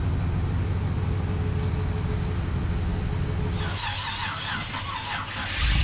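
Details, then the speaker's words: Chevy G10 van being readied for a hot rod show, started after a jump-start: steady, even low idle rumble with no knocks or misses; oil pressure looks good, engine running healthy. "the oil pressure looks good everything looks good all right guys things running"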